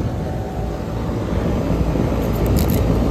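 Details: Old Carrier heat pump with no cooling call, Y call jumped: the condenser fan motor, on a low ambient control, is slow to start, then a steady low compressor hum and even fan whoosh with no rattles or squeals; running normally.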